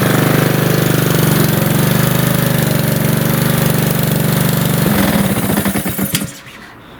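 Fast, even single-cylinder putter at a steady speed for about five seconds, then it winds down and stops; the mower sounds healthy.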